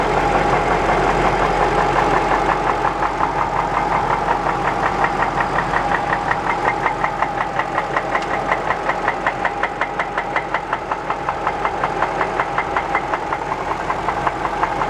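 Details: Jaguar XJ8 petrol V8 idling with a loud, steady, almost diesel-like knock throughout; rod knock suspected, not confirmed.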